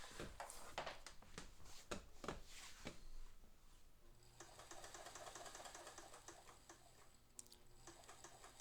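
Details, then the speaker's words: Singer Spartan sewing machine motor, heard after a few handling clicks: almost no noise, a faint, even low hum with no grinding or rattle; a clean, low-use motor running normally. "I mean, there's almost no noise at all. That is a clean motor that has not had a lot of lot of lot not a lot of miles on it."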